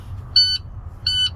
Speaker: You dealing with these Internationals. You got this nagging noise. You turn the key on.